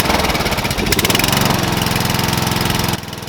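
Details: Murray 12.5 HP, 40-inch-cut riding mower that had stopped running, after a new carburetor and air filter: small single-cylinder engine catches and runs at a steady, even beat with no knocking or misses; healthy.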